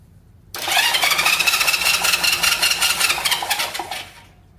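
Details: 1970 Honda CL350 that sat 42 years, plugs re-gapped to about 0.030 in: starter churns the engine steadily for about three seconds with no firing; no spark, plug wire cooked.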